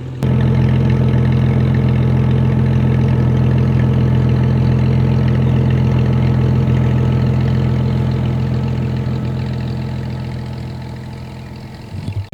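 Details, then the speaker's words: 1997 Jeep Cherokee XJ after water pump and thermostat replacement for overheating: steady smooth idle hum, cooling fan turning on, temperature about 210, mid-gauge, no knocks or misses; normal idle. "right now it's just been sitting up here I can hear the fan turning on yeah it's about 210 which is right in the middle of the gauge"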